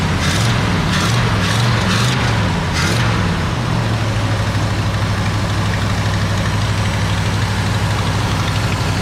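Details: 1968 Galaxie 500 XL 390 V8, sat 30 years, just fitted with a rebuilt and cleaned Autolite 4300 carb. A steady, fast, even rumble never settles to a slow idle: high idle.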